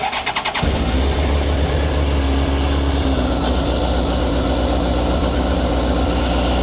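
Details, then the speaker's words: Older sportsbike, newly bought and not yet fired by the new owner, cold start: brief starter whirr, catches cleanly and settles into smooth even cold idle. Normal cold start. "So guys, this is the exciting part for me. I want to have a cold start. So we've not fired this up yet."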